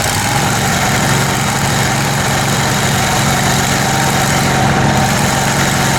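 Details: Kohler Command Pro 27hp lawn mower V-twin after head gasket repair, muffler baffle removed (possibly part of gasket failure): loud open-exhaust rumble at fairly steady speed, no misses or rattles; normal running.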